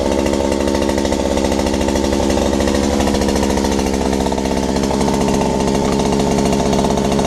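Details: Robin EC10D Japanese two-stroke engine just started after cleaning the points, condenser and flywheel, stripping the carburettor and flushing bad fuel from the tank: fast, buzzing, harsh and rattly run with a high idle and noisy running.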